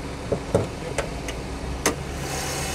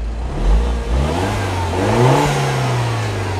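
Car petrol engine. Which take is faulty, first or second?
second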